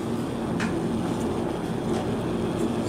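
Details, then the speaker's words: Vintage Lakewood S-223 box fan runs with noticeable motor hum, steady buzzing drone and faint rattly vibration that just started; source of vibration unknown, slight blade wobble. "not sure if you can hear the motor humming or not but it's quite noticeable [Music] [Music] [Music] something is vibrating"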